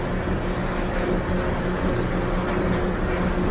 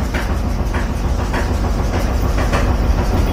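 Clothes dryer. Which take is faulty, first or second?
second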